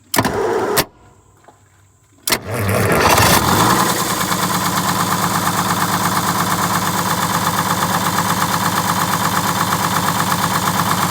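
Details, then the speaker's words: 1947 Silversides bus, Detroit Diesel 6-71: diesel cranks and catches, then settles into a lumpy, uneven idle with a recurring beat; one injector over-fueling a cylinder, governor and injector adjustments made to smooth it. "if one of them's got a little more fuel than the rest of them then it's hitting hard it's over fueling one cylinder and that's throwing it off"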